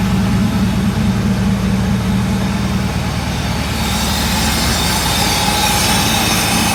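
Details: Euro Mercedes 6.9, still cold after sitting overnight, unmuffled: loud, deep, steady idle with a rough exhaust note and slightly fast rhythm; idling a little high, oil pressure good.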